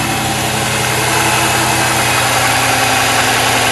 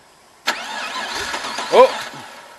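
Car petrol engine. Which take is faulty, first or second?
second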